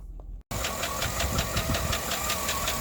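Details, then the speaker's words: Chevrolet Suburban 5.3L LC9 V8 with AFM at 240,605 miles, hood open at idle before engine swap: sharp, quick steady ticking faster than firing, typical 5.3 AFM lifter tick. "so there's that uh lifter test that i talked about and if you're wondering well this engine looks super clean for 240 i pressure washed it um yesterday so that when we dig into it it's not like super greasy everywhere but you can hear that lifter cap typical 5-3"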